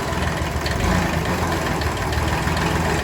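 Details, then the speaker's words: Kubota B6100 diesel tractor at idle, in gear with clutch pressed: rough uneven rattle over idle, gone in neutral or out of gear; worn clutch pilot bushing. "What happens if you have a bad pilot bearing is you put it into gear. Okay, you guys hear that?"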